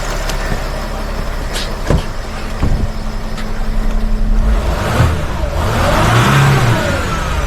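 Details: Sprinter van, 3.0L diesel, after engine oil cooler replacement with all gaskets and O-rings renewed and bolts torqued: steady idle rising smoothly into a brief rev and settling, no knocks or rattles, no dash lights; oil leak fixed, normal.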